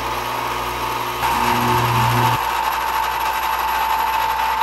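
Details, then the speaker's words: Antenna rotor, roughly 25–30 years old, after teardown and lubrication; noisy sticking-brake unit now runs smoother, faster and much quieter. Steady motor hum with even big-metal-gear whir driving to its stop, no grinding or catching: normal running. "not only does it sound smoother but I think it's actually turning faster it's still noisy but it's you know it's a big engine and it's big metal gears but it's nowhere near as noisy as it was and it's much smoother"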